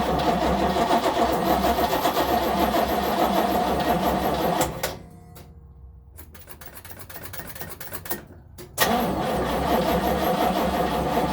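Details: 1970 Nova SS, first cold crank of 2023 after sitting since October 2022 with no battery charging: even starter churn about four beats a second, pause, more cranking, never catches; cranks but no start.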